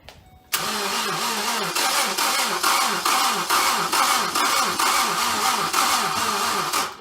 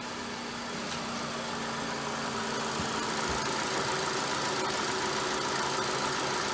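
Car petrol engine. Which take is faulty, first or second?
first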